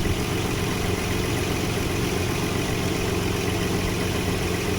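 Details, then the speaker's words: 1995 Nissan D21 Hardbody VG30E V6 after its surging AAC/AIC valve was bypassed by removing the elbow and blocking it with 2 bolts. An even, steady low rumble with no hunting; the V6 idles smoothly. "So now no more idle issue. It's idling nice and smooth now."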